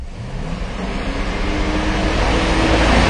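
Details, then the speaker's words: 2006 Chevy Silverado 6.0L V8 with P0335/P0336 despite a new crank sensor: at steady held throttle the engine note wavers, with rpm hunting, dipping and briefly lost entirely. Intermittent crank sensor signal from a loose connector terminal. "and holding the throttle still you can see how jumpy well we lost rpm there for a second totally lost it"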